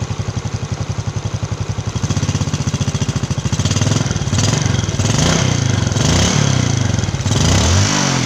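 Small single-cylinder bike thumps along steadily, then revs up and down smoothly with no knocking or rattle; runs healthy.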